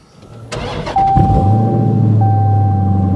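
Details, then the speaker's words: 2020 Dodge Challenger Scat Pack 392 V8 with forged internals, cold start: starter whirrs, then a loud, slightly uneven idle with a faint stumble; missing a little on start, otherwise sounds good. "of missing a little bit on the start isn't it she sounds good though i ain't gonna lie she does sound good"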